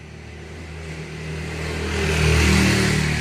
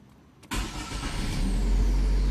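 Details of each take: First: 2011 Chevrolet Prisma (same as Corsa Classic, Celta): harsh metallic grind bursts out on cranking before the engine catches and runs, recorded from the front with camera outside; fault in the starter motor, to be removed. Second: 2011 Chevrolet Prisma after repair of starter grinding on cranking: brief crank, engine catches at once and settles to steady idle with no grinding; fault usually just starter lubrication.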